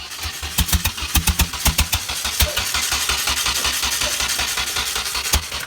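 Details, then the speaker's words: Nissan 240SX S14 with new motor and Viper alarm, battery charged: starter spins with steady even compression pulses but never fires, even with starter fluid; has spark, fuel, compression; alarm suspected; cranks, no start. "that's all it does it's got Spark It's got Spark It's got fuel it's got compression got compression it's got air got everything else it needs starter fluid doesn't start it"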